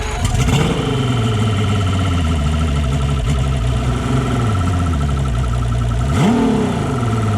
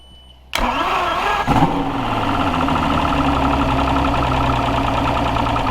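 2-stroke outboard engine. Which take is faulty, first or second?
first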